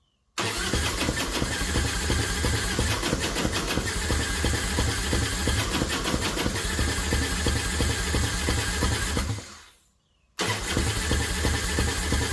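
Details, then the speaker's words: Flood-salvaged 2000 Harley-Davidson Fat Boy, five days underwater in Hurricane Ian, with a new starter: spins briskly for about nine seconds twice but never fires. Owner suspects the timing is off; plugs later confirmed firing. "well it's not what I wanted to see or hear me pull one of these plugs make sure she's firing almost sounds like the timing might be off sure it's spinning fast then again it's a new starter"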